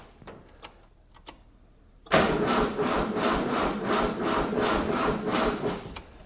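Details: 1976 Galant with a 2.6L Astron, in a 4°C shed, weak-sounding battery, fuel squirted in: the starter churns in quick, even pulses nearly three a second for about four seconds without catching. The engine cranks but won't start; the cause is not confirmed.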